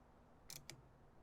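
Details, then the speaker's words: Starter solenoid from a late-1980s/early-1990s Massey Ferguson 50H backhoe with a Perkins four-cylinder diesel, bench tested grounded through its body with positive on the S terminal: three crisp, sharp clicks; solenoid pulls in and works. "So you ground it there, and then you take the positive, and you touch the S, or the start, and it should click."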